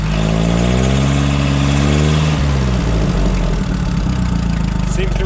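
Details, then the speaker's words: Cheap used forklift after a bad spark plug was found and replaced during ignition troubleshooting: deep, even idle with a steady beat and no misfire or stumble; runs much better, fixed; normal idle. "sounds like she runs a heck of a lot better let's take that wire away again and see what happens yep there we go boys and this is fixed is a bad plug"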